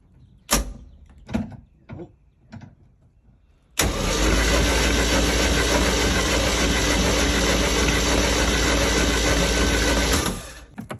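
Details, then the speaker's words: 1987 Bayliner Capri boat engine, unused since 2011, previously seized and freed with WD40 in the cylinders, ignition bypassed, fresh battery: several short cranking bursts, then it catches and settles into a steady, even run. "have success there it is it's running"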